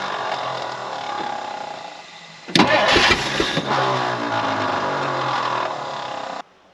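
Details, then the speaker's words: 1959 Edsel Ranger, 361 Super Express V8, sat for years, little fuel in tank: cranks, then barks to life roughly about four seconds and cuts out abruptly; starts briefly then dies, fuel system suspected. "Well, I don't have a lot a whole lot of gas, but she barked off."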